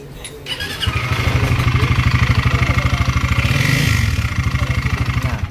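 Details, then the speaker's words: Loud metallic knock at idle, steady and heavy at about three per second, from a bent balancer striking inside; overheating from friction, engine block cracked. "Kakaiba yung tunog. Wala na naman. Okay, ano yan? Wala ako yan, maingay yan."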